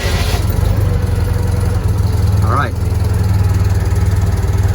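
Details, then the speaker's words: Citroen 2CV with single-barrel carburettor, first start after troubleshooting with choke out and float bowl refilling: low, steady even thrum at cold choke idle, smooth, possibly too much choke. "good that sounds great nice smooth choke idle maybe too much choke i think"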